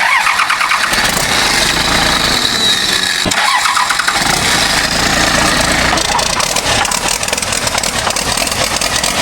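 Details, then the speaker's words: Military Humvee after a Cummins diesel engine swap, first fire-up with the cab off after air was put to the fuel tank because the primer wasn't working: it catches quickly into a loud, steady diesel idle with no misses or knocks. Healthy start. "She furs like a kitten, folks. Listen to that baby bird."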